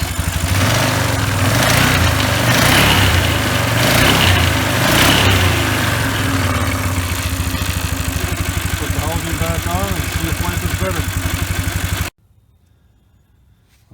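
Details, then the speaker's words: 1997 Polaris 500 ATV after new drive belt: loud, rough beat about four pulses a second with harsh scraping rub as the CVT belt cuts into the melted, deformed plastic outer clutch housing, which needs replacing. "to start it now it sounds like hell so looks like i'm going to have to buy a new plastic housing now looking at this thing i can see the witness marks where it's cutting into the damaged deformed housing"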